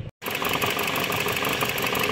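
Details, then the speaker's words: Dodge Journey 2.4 with replaced engine, computer and full harness, leaking oil, after clearing codes and starting: slightly uneven stumbling idle with rough hiss, sounds bad; engine misfire at idle. "vamos a dar un [Música] marchaso se oye algo muy feo"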